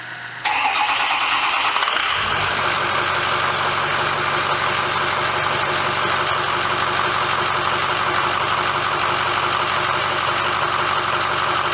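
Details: 2006 Ford F350 diesel after oil and fuel filter change, air bled by cycling key six times: brief crank, catches at once, settles into a steady even idle with no stumble or misfire; normal start.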